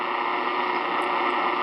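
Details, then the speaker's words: Power-line noise on 10 m receiver, February 17, 11 a.m.: steady loud hiss with constant buzzing tone from arcing on noisy power poles nearby. "there's a reason Al's out hunting noisy power poles let's listen to it well it's February 17th 11 a.m. 10 m lovely amount of noise to put up"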